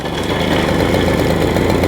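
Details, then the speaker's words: 1980 Garelli Super Sport pedal-start two-stroke moped just started, after replacing swollen rubbers in the transmission clutch disc, idle deliberately set low: rapid, even putter with steady firing, no misses or surges; idling normally. "then it's running I've got the idle turned down a bit so we can adjust it up"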